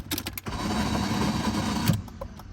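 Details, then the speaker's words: 1JZ-swapped BMW E36 with ongoing fuel problems, after it died and would not restart: a short free-spinning electric whir with no cranking, so the starter is not engaging. The fuel pump still runs; the owner is unsure whether it is only the starter. "What's weird is I can kick the fuel pump on, but the starter completely went. So I can show you that real quick, but it's just spinning, so I can't even try to restart the car."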